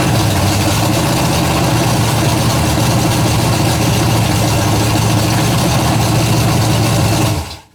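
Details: Freshly built 427 big-block V8 on a stand with short intake: loud, deep, even rumble holds steady for seven seconds before shutdown; healthy fresh build.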